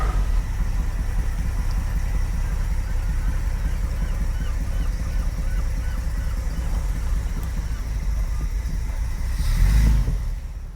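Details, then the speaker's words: 45-year-old 2.8-litre Vauxhall Royale coupe after fitting a new homemade accelerator cable: a low, steady idle, then a brief rev that falls straight back to a calm idle. The throttle returns properly and does not hold the idle up. "Come on, starter, you're getting boring now. Yep, that's not holding the idle speed up. Good."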